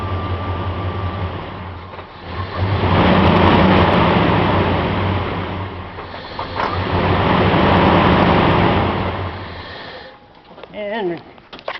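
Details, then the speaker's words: 1999 Dodge Ram 1500 5.2 (318) V8: tapping/wiggling crank sensor wiring makes engine stumble and surge twice then die; crank signal drops out, coil misfires; suspected bad crank sensor with loose internal magnet. "we can see she died so we probably got a bed or a crank sensor that's probably got the magnet loose inside"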